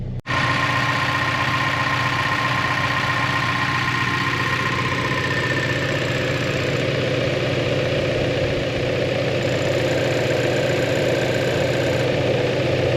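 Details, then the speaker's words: 2025 Toyota 4Runner TRD Pro four-cylinder, heard from the rear exhaust at idle; steady, even rumbly low note, deep exhaust, no knocks or misses; normal idle, though the powertrain noise is criticised. "Here's your sound here. Kind of a rumbly fourcylinder noise."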